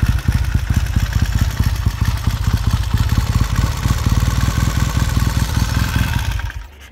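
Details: 1969 Triumph T100C twin after rebuild, idling following a one-kick cold start: even, deep pulsing idle holding steady for six seconds before switch-off, smooth and healthy, no knocks or misfires.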